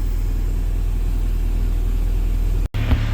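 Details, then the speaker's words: Mini with Honda B16A2 VTEC engine after the fuel filter and fuel pump were replaced because it ran rough: smooth, steady low idle with no stumble, splutter or misfire; the new fuel pump is quiet, the old one was loud. "so another thing I did notice it's quiet you can't hear that fuel pump the other one was so loud"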